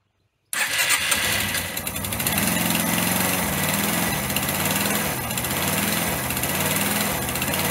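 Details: Single-cylinder motorcycle engine's start after a rebuild with missing tensioners and snapped head bolts, exhaust valve clearances set, oil now circulating: fires up and settles into a steady, slightly lumpy beat with no knocks or rattles.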